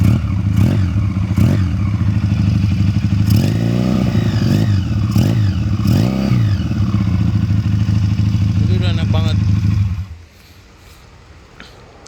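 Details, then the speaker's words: Regal Raptor Spyder 350 chopper/bobber after restoration, engine troubles cured by fitting a racing ignition coil: steady low single-cylinder thump with sharp throttle blips picking up cleanly, then shutoff; sounds different and stronger now, normal running. "Jadi dari bunyinya aja sekarang udah beda bro. Setelah ganti pakai coil racing."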